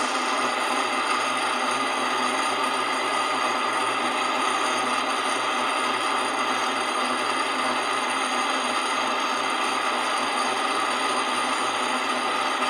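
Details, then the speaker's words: Centrifuge motor running after its faulty capacitor was replaced with a 25 µF one: steady high whirring hiss with a thin ringing tone; unexplained mechanical noise remains, may need motor teardown. "quanto a esse barulho pessoal eu ainda posso desmontar Esse motor inteirinho e procurar Tirar o barulho"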